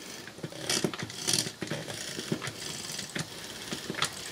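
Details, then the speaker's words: Small DC motor from a Panasonic DVD/VCR combo overvolted on a variac: ragged buzz with irregular crackling bursts and clicks; brushes arcing on the commutator at excessive voltage. "I still hear the brushes some in contact with the commutator so I might get something more out of it"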